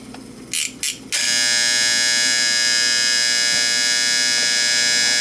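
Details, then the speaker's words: Late-1960s/early-1970s Sankyo Seiki mechanical digital rolling clock. The alarm buzzer, being restarted after a reset. A few short bursts, then a steady, harsh high buzz. Normal alarm buzzer, which needs a manual reset. "So yeah, it just runs off this. It runs off the motor winding. That's all it does."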